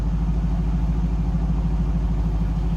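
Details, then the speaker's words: 2002 Pontiac Firebird Trans Am WS6 convertible, LS1 5.7 L V8, heard from the rear: deep, steady, throaty rumble from the tailpipes with an even, lopey pulse and no ticks or misses; healthy idle. "So engine sounds good."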